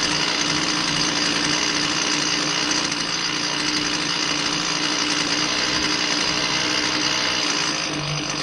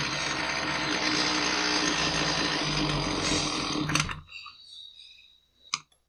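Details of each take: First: Husqvarna 128L string trimmer, after new fuel lines and a new metering diaphragm replaced a stiff one that caused bogging, runs with a steady high two-stroke buzz, even and free of bogging or surging. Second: Husqvarna 128L string trimmer after new fuel lines; it was boggy and inconsistent under carburetor adjustments, slightly richened. Uneven high-speed buzz that sags and dies after about four seconds. Running lean from a metering diaphragm found rock-hard.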